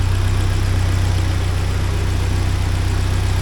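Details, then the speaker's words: 1979 Porsche 924 during restoration, after timing set close to right: smooth, even warm idle around four beats per second with no knocking or ticking; healthy. "I'll shut it off and see how it holds pressure that sounds really good that sounds great not making a be so that's good"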